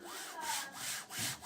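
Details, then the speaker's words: Sovol SV06 3D printer, carriage pushed by hand along the rail: rough, scratchy rasp swelling and fading with each push; failed noisy linear bearings on X and Y axes, to be replaced with Igus Drylin RJ4JP-01-08 self-lubricating slides. "These are the non-lubricate ones, not actual bearings and more like slides. So, cuz it's got rather noisy both that one"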